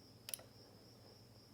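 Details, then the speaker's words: 1989 Jeep Wrangler fuel pump relay bench-tested with 12 volts applied to the coil: two crisp double clicks about a second apart as power is applied and released; the relay switches normally. Crank-no-start was ultimately traced to a failed ECM. "And I heard it click. I don't know if you can hear that, but it's happening."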